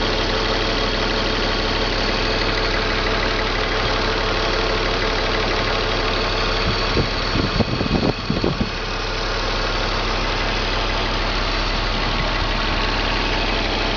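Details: BMW M54 325 cold idle: uneven, loping beat with a few irregular stumbles. Misfire logged in cylinders 3 and 5, sometimes 4, every morning. Crankcase valve, plugs, coils and fuel filter replaced, injectors cleaned. Smooths once warm past the blue zone. Cause not yet found.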